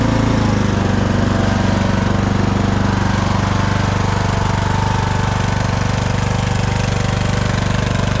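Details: Craftsman DLT3000 lawn tractor engine, driven out of the shed; even, steady putter at about three beats a second with no misses or knocks. Normal running.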